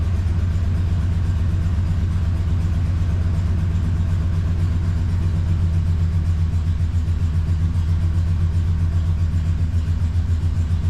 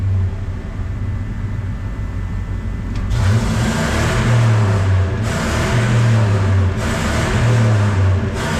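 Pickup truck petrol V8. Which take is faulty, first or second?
first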